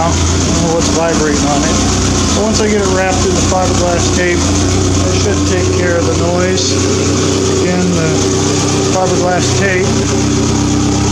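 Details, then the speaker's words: W.A.R. Corsair aircraft engine run after the muffler work: a loud, busy note with a buzzy metallic vibration. Quieter than before, so gear noise is now audible, but something rattles in the muffler, cause unknown. "definitely quieter than before they seem to have some kind of rattle in the muffler right now"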